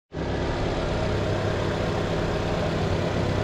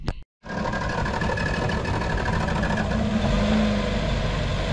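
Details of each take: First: Nissan Teana J32 that had rough, shaking idle and stalling, after fixing a leaking ignition coil gasket, temporarily sealed with gasket glue: steady, even, quiet idle hum with no hunting, stumble or shake; normal idle. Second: Nissan Teana J32 with rough idle, engine shake and occasional stalling: lumpy uneven idle with irregular shake; owner first guessed ignition coils, cause found to be an air leak past a hardened intake gasket.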